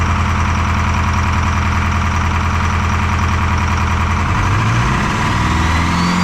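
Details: Detroit 4-53T diesel with 9G90 injectors, run from a 5-gallon tank bypassing the solenoid and tank: rough uneven idle, lumpy beat about 2.5 per second. Fuel starvation (filter half full, loose suction hose clamp); number two injector not delivering, dead cylinder.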